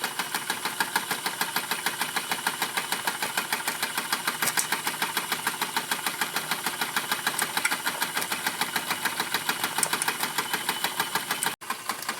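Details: RETROL SE-02 double-acting horizontal mill steam engine with generator, running while warming up: crisp, even exhaust chuffs at about three per second, steady rhythm with no knocks.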